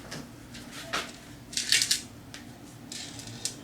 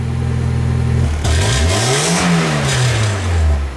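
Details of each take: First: 1990 Mazda Miata muffler being fitted: shaken by hand, it gives irregular tinny clinks and rattles from something loose inside. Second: 1990 Mazda Miata four-cylinder after replacing the catalytic converter and fitting a cheap replacement exhaust to cure a rattle after the cat: starts and revs twice with a loud raspy drone, no rattle left, just a loud system.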